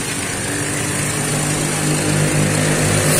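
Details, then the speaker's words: Daihatsu Xenia 1000 (2013) that had been limping with misfire code P0303; engine now idles smooth and even on all cylinders, no stumble, though the check-engine code still shows: normal idle. "codecnya masih muncul tapi langsam sudah enak ya"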